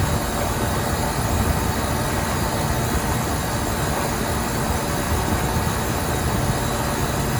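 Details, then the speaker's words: Walk-in cooler condensing unit on a liquor store roof during a heat wave, clear sight glass, valve front-seated: steady even compressor drone, no knocking or rattle, pumping down to the low pressure switch setting normally. "here we go you can hear the compressor start to change sound and we should go down to our low pressure switch setting yeah she pumped down like a champ"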